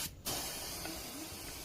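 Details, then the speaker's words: Aqua two-door refrigerator getting a replacement one-door compressor: condenser flushed with LPG at 10–20 PSI, pipe held then released, steady hiss of gas for about a second and a half after a short pause. Condenser flushing. "Nah, setelah LPG-nya kita masukkan ini, kita tahan pada pipa kondensor kemudian kita lepas. Intinya kita flashing kondensor ini sampai benar-benar bersih."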